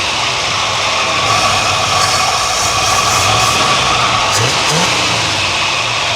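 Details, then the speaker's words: 1978 Ford F100 that sat in a field over a decade: sharp throttle blips to force a suspected sticking carburetor clear. It now picks up cleanly and settles back without coughing; sounds good. "That sounds good."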